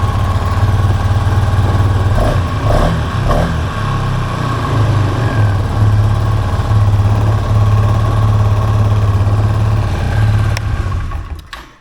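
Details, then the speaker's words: 2023 Polaris Sportsman 570 ATV with high idle that makes shifting hard: idle hangs steady around 2000 rpm instead of about 1200, throttle cable held slightly open. "And these idles should be around 1200 RPMs, I do believe. So we're pushing 2000, that's way too hot."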